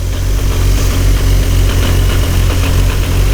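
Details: Highly modified 1999 Nissan Skyline R34 GT-R, T88 big turbo, Getrag gearbox with twin-plate clutch: lumpy idle with loose chattering rattle over engine beat; known twin-plate clutch rattle, unsure if anything wrong; twin-plate clutch rattle at idle.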